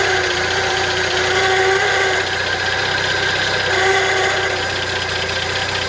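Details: 1971 International Harvester 1110 pickup, original AMC 232 inline six, first start after carb rebuild and tune-up, before timing set: steady, fairly smooth idle with belt whir on top; running normally.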